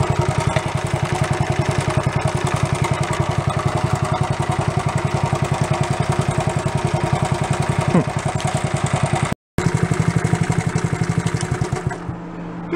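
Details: Even single-cylinder putt at about 210 beats a minute, no misses or knocks, from a worn barn-find Honda Trail 70 after points, valve, timing chain and exhaust repair, freshly oiled after running dry; normal idle.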